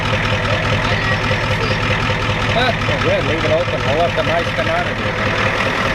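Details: 1993 Ford F-250 7.3 IDI diesel idling after the injection pump was turned up: steady rattling idle with a fairly even beat and some chatter over it, no roughness or misfire; sounds better, burning a little oil.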